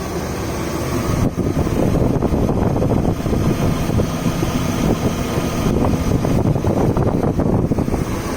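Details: BMW 540i with M62 V8, startup and shutoff: busy, uneven clatter riding over the low engine roar; timing chain rattle is suspected but not confirmed.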